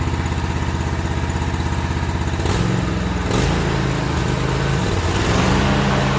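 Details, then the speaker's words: About a year old commercial Toro zero-turn mower, twin engine, run outside after a no-start repair with the old spark plugs still in: loud, irregular, stumbling beat as the revs change, as if a cylinder is skipping; cause unconfirmed. "so still doesn't sound right to me I think it may be still skipping or something's going on"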